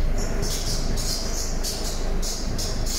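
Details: Mercedes-Benz M271/M274/M264 engine running with a high pulsing squeak when the steering wheel is turned: accessory belt slipping from a failed alternator overrunning clutch, later replaced with a new one.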